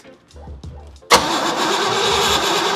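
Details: First start attempt on a 1967 Pontiac GTO converted to EFI with a Haltech Elite 550 ECU and a new HEI distributor, ignition timing unchecked, timing light not flashing: starter cranks continuously with no firing; cranks but won't start.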